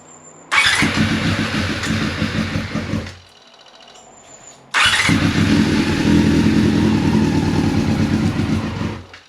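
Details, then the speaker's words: 1999 Yamaha R6 carbureted, first start in 10 years on an external fuel tank: two starts with an uneven, lumpy idle that never smooths, sounding like it's running on three cylinders. One carb is dumping fuel. "now obviously the bike is sounding a bit rough like it's running on three but a start is a start and it's one thing off the list"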